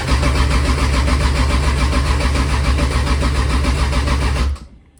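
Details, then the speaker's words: Toyota 2JZ engine, first start attempt: starter cranks steadily for over four seconds without catching. Oil and fuel pressure are present and coil packs fire, but a noid light shows the ECU is not triggering the injectors. "you can test if the injectors are firing and they're not firing meaning that the ECU is not turning them to fire so that's what's causing our"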